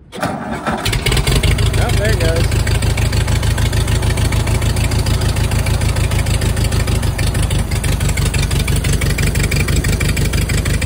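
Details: 1940 Farmall H after restoration, first start on a jump from a dead battery: cranks briefly, catches cleanly and settles into a steady, even low-pitched idle with no misses or knocks; runs fine.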